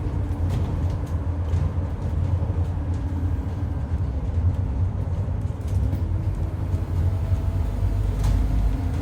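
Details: 2008 Euro 4 Scania N230UD with ADL Enviro 400 body, Stagecoach route bus, while driving: steady low howl over road and engine rumble, pitch shifting slightly with speed; suspected dodgy bearing or worn tyres.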